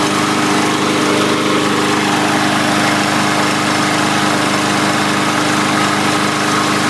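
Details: 2017 MTD push mower, Briggs & Stratton engine, after clearing debris from the breather tube: steady, even buzz with no misses or surging, holding constant speed; running normally.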